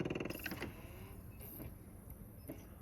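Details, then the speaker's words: Sony DVP-CX860 DVD changer with a C:13:00 error: a fast buzzing rattle from the spinning disc fades to a quiet whir with a few clicks. A metal piece may need gluing; the fault cleared itself this time. "You can hear the rattle."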